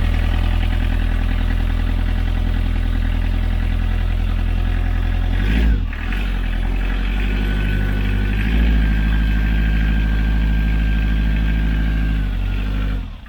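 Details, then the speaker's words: Sailboat's marine diesel, key-less push-button start after glow-plug heating and bleeding, run from a temporary fuel tank: it catches straight away and settles into an even, steady low thrum with no misses or knocks. Normal running, with minor leaks since fixed. "It ran First straight run. away. It bled it up and it ran like perfectly straight away."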